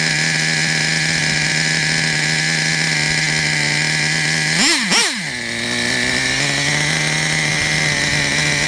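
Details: Traxxas Revo 3.3 nitro RC truck, engine good; it still needs a new transmission, spur gear, starter motor and one-way bearing. A high, steady idle buzz with two clean throttle blips settles evenly; healthy idle.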